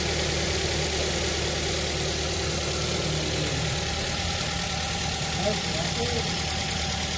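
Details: New Avanza 1.3 after fan belt and tensioner pulley replacement, test start: steady even idle with smooth hum, no squeal, chirp or rattle from the belt side; engine running healthy.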